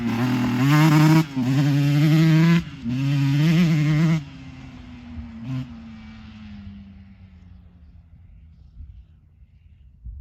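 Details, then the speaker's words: 2024 Yamaha YZ125 two-stroke after new FMF pipe and silencer, JD jetting kit and Castrol full-synthetic oil to cure jetting problems and fouled plugs: three sharp, clean throttle blips then a falling whine coasting down; power band hits quicker and harder, idle still slightly high; healthy. "I mean the Power Band comes on way quicker harder uh I mean I just literally slipped the clutch and I was like in power"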